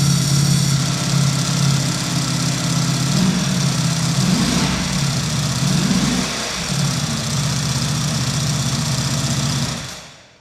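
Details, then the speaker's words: Ducati, production number 725, on stock exhaust: a loud, lumpy idle with the typical dry, jangling dry-clutch rattle over the beat, which changes when the clutch lever is pulled, before shutdown. This is normal dry clutch rattle. "Dan bisa kalian dengar juga suara koplingnya itu ciri khas dry clutch-nya Ducati, teman-teman. Jadi ketika ditarik koplingnya suaranya akan berbeda."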